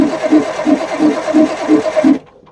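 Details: Perkins 6-cylinder diesel in a homemade RV on a 1966 GMC bus chassis, sitting about 30 years. Injector lines cracked to bleed air; starter turns it about three beats a second without firing, then stops; cranks but no start.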